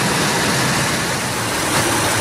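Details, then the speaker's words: 1997 Ford Expedition just after serpentine belt replacement, camera close to the engine: an even, steady idle hum with no squeal or chirp. It sounds better than before the repair; normal belt drive. "I'd say it sounds better when you we got to pronounce this this repair job"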